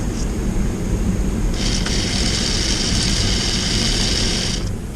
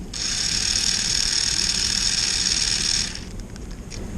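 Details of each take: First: 1994 Lionel RS-3 locomotive motor run directly off a battery, compared with its twin: a steady high whirring hum with a faint rattle, running noticeably slower; possibly a factory-mismatched motor, though both motors are strong. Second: Motor from a 1994 Lionel RS-3 locomotive (6-18837), bench-run straight off a battery: a steady, strong, high-pitched buzzing whir; this is the faster of its two possibly mismatched motors, and both are healthy.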